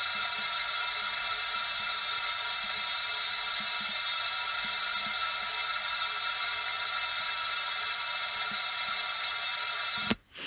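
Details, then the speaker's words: Honda ST1100 Pan European leak-down test, engine off, mic listening through a tube: a steady, even hiss, slightly louder than the previous cylinder, as air leaks out. "donc on entend un bruit qui est euh comment dire qui semble être un petit peu plus fort que que les que le dernier que je viens de faire"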